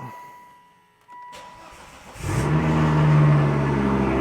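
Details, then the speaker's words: Volvo V70R after engine reinstall and manual swap, crank sensor reconnected: short crank catches quickly into an even idle near 1,000 rpm cold, no ticks; single-mass flywheel silent, no chatter, engine sounds healthy. "I can't believe it started just like that some initial notes the single Mass flywheel did not chatter at all which is something that I thought was kind of a big deal I don't hear any noise from it it's perfectly silent the car sounds incredibly healthy"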